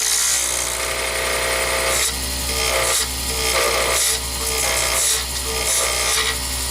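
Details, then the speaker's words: Lathe turning a fountain pen blank (Atrax/Triton pen, Fantastic Feather blank) at the start of the cut: scraping, uneven chattering bites over steady motor hum because the blank is still slightly out of round; normal, not a fault. "when you start any blank it's a little bit out of round nothing is mounted exactly square to the to the tube and so you're going to hear some chattering and some noises"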